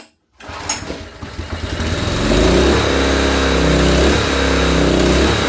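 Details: Honda EB1400X generator, carb believed never removed, restarted on choke after needing half choke: catches after a few coughs, then settles into a steady, even drone with no misses or knocks while warming up; engine runs good.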